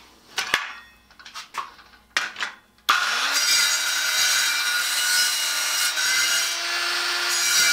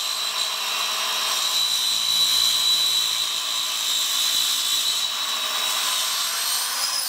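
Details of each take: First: Craftsman 7-inch electric hand saw model 315.27802, rated two horsepower, with a sharp blade, cutting 2¾ x 3¼ inch white pallet oak 2¼ inches deep: spins up and holds a steady high whine without bogging; healthy saw. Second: Craftsman 7-inch electric hand saw model 315.27802, with the plywood blade it came with, cutting oak: steady high whine with a thin squeal, a little strained, consistent with dull teeth slowing the cut; cut judged not too bad.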